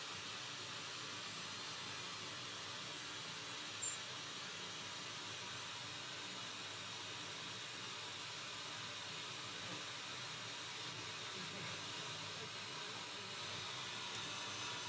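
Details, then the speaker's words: Bang & Olufsen BeoCenter 5000 being restored, tone board refitted, tuned to FM: steady even hiss with faint chirps and no clear station; very poor FM reception, but the signal now passes through the board. "Got something. That is FM. Very poor reception, but it's FM. Really poor reception, but Yeah."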